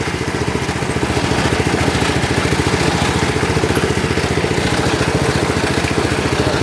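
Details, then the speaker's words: Lawn tractor, cold start on a cold day, idling: small single with a quick even beat and a scraping rattle along with it; the cooling fan broke off inside and is rubbing while running. "that's the cooling fan it broke off inside so I don't know why so that's why it's making that sound when it's runn"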